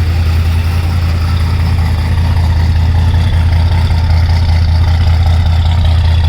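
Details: Freshly rebuilt 429 V8 in a 1968 Ford Thunderbird idling cold after sitting 4–5 days, about 30°F outside: deep steady exhaust rumble, even firing beat, no knocks, ticks or misses; normal cold idle.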